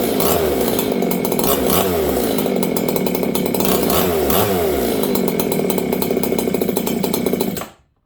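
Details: Old Jonsered 630 chainsaw with a new Husqvarna full wrap bar, first run since last used in winter. Burbles and four-strokes unevenly with a wavering, blubbery note instead of a clean scream; carburetor mixture too rich.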